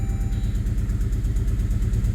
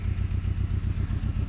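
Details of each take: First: Saab 9-3 Aero, after ATF soak in cylinders and water-mist steam cleaning through the intake: even, steady low idle with all four cylinders firing, compression apparently restored, almost no smoke. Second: Saab 9-3 Aero after ATF cylinder soak and water steam cleaning for low compression, exhaust leak present: lumpy idle with regular stumble several times a second; misfire, owner suspects cylinder four.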